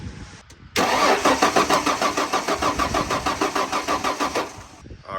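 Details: 1994 Ford F150, air filter checked: steady starter churn about three compressions a second for four seconds, never firing; cranks but won't start, no spark at plugs, ignition coil suspected. Cause suspected, not confirmed.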